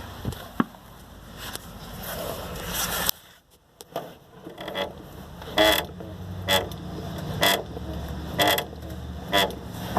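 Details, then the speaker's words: 4x4 Astro van, lifted about 36.5–37 in, after greasing front suspension fittings; sharp squeak about once a second over low rumble while driving. Seems to come from the frame area, cause still unknown. "There is still a squeak in here. So I don't know what the trouble is. I don't know what. I'm at my wit's end here."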